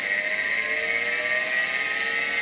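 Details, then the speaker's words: Seagate ST-251 vintage 5.25" MFM hard drive after a control board swap, powered on the bench with an XT clone: a steady high whine over a smooth whir with no clicking or scraping; normal spin-up. "all right good sign we're spinning up"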